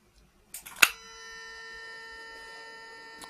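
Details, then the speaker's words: 1995 Mercedes C36 AMG non-ASR throttle body on the bench after its crumbling wiring was redone. A click at power-on, then a steady mid-pitched buzz. This is a healthy throttle body motor hum, still present when the throttle is moved. "all right so here we have here we have a nice helm it's like a buzzing sound kind of which is nice okay so that's the sound of healthy throttle body"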